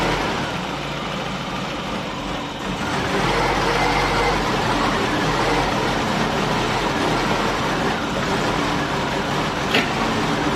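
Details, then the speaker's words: Triumph Dolomite 1300, carburettor refitted, dashpot topped up with ATF, started on a bit of choke after a week or two: uneven lumpy idle stumbling about four times a second, hunting and missing. "I decided to fit electronic ignition the uh engine wasn't running right last time I started it up uh misfiring uh stinking of fuel running like crap"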